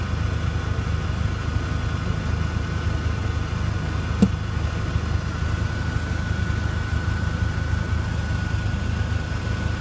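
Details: Mk4 Jetta 1.8T at idle: low steady idle with one sharp, infrequent pop from under the car near four seconds; cause not yet found.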